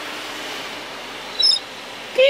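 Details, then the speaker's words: Audi A6 C7 sunroof works but makes noise: a short high squeak over the motor's steady hiss while moving, before overhaul and cleaning, which cured it. "고객님께서 요청하신 게 선루프가 작동이 안 되는 게 아니고 소음이 난대요."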